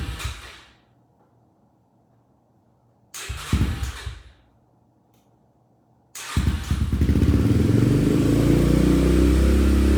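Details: 2015 Yamaha TTR125LE with a rebuilt engine after top-end damage, first start after reassembly and cam timing check: two short cranking bursts, then it catches and runs a steady beat, revving cleanly with no knock or rattle; normal start and running.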